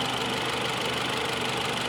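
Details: 2018 Mitsubishi Outlander with P0113 intake air temperature sensor 1 circuit high code, reported running rough, idling: steady even hum with no knocks, stumbles or hunting; engine sounds healthy, normal idle.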